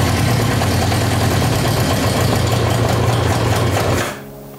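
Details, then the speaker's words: Yamaha motorcycle before carburettor cleaning: steady, even idle for about four seconds, then the engine suddenly dies when the choke is pushed in or throttle touched; owner suspects dirty carburettors, electrical not ruled out. "oh see it runs but as soon as you touch put the choke in or touch the throttle it dies good one in so you touch you touch the throttle buks out"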